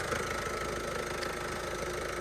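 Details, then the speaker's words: Salvage diesel van that runs but doesn't drive: a steady diesel idle with a fast, light metallic rattle from the front of the engine, unchanged throughout. Rattle at idle, cause suspected, not confirmed. "That noise, I need to get that sorted out straight away. That's going to drive me mad."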